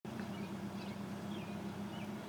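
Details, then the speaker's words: 2004 Mazda RX8 six-speed manual rotary idling rough and uneven, rpm fluctuating and bouncing back to around 1000, stalling at idle, worse under load; hard to start hot; plugs, coils, battery replaced, throttle body, MAF cleaned; cause not yet found. "uh having some issues with stalling an idle right now it's idling it's idling real rough um it only seems to do it whenever it's under load or anything else"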